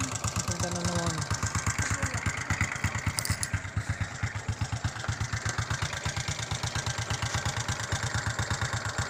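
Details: Honda XRM 125 motorcycle at idle: quick, steady ticking knock riding on the small single-cylinder idle, sharp and metallic at every beat; engine knock of unknown cause.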